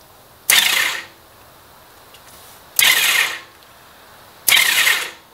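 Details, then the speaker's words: Honda Valkyrie hydrolock repair, spark plugs removed: three short half-second cranking bursts spinning freely and evenly with no compression load after wiggling a starter connection; engine turns over very smoothly, normal. "yes we got the engine to turn over which is a huge step it spun pretty nicely and smoothly and smoothly very smoothly"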